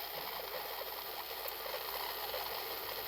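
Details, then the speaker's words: Yaesu G-1000SDX antenna rotator under controller test: steady whirring motor hum with light gear chatter on fast speed, speeds up quickly; low speed also works; rotator turning normally. "Now notice that this thing speeds up pretty quick. And I'll turn it on low speed. Low speed does work. There's the snail pace."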